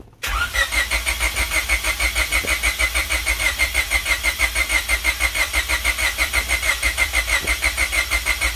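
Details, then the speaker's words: Honda Civic hatchback build, first start attempt after 10 years with no coolant in it: even starter chugging at about three beats a second, a long crank that is slow to catch; owner suspected the injectors weren't getting power before it finally started. "it dang that was close [Music] it's on it's running holy crap after 10 years"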